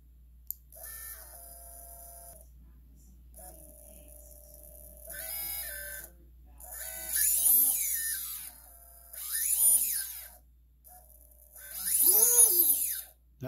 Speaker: this is what I expect from our brand-new motor especially a company like t motor good quality smooth no rough sound